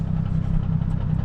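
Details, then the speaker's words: Nissan 350Z drift build with a new clutch, tested after driving: a steady low idle with a faint, regular light knock on top. The owner suspects the new clutch or throw-out bearing; the source is unconfirmed. "does sound like there's a knock coming though. I don't understand that. I don't know what that is, but running fine, running good."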